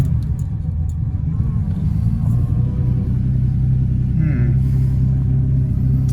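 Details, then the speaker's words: 1979 Porsche 930 that had stalled and wouldn't restart, driving after good fuel pump relays were fitted: steady low engine rumble under way, even and without stumbles or cutting out; engine sounds healthy. "yeah seems to be driving yeah and uh engine sounds good okay"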